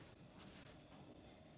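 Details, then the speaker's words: Tractor engine block heater plugged into wall, heard under the pulled-back canvas: faint steady hiss with soft bubbling as it heats the water in the cold block; heater is working. "Can you hear that? I can hear that. That tells me that the thing is working."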